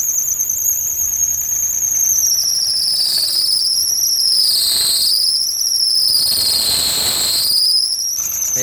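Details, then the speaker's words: Maruti Suzuki Alto 800 engine running before repair, which stalls while driving and seizes: loud shrill squeal wavering in pitch from a slipping accessory drive belt, over a faint engine knock. "Belt का भी ज्यादा नॉज है लेकिन engine में से आवाज आ रहा है"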